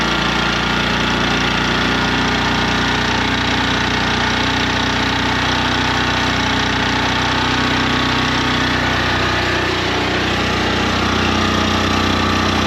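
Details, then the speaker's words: 2019 Champion 100812 generator revived after sitting about four years, running under load powering shop lights and grill lights; steady, even single-cylinder drone at constant speed with no hunting or misses, sounds like a generator should, healthy. "That sounds like a generator."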